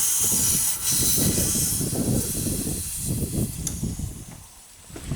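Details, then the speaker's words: 2000 Chevy S10 4WD 4.3L V6 with intermittent long crank: fuel pressure around 30–40 psi bleeds right off with steady airy hiss after release; fuel pump check valve leaking, new fuel pump needed. "and when I release this the pressure should hold in the fuel line if our check valve is good and we should be able to see you know you know uh the pressure hold here so 40 or 30 PSI Let It Go bleeds right off right through the check"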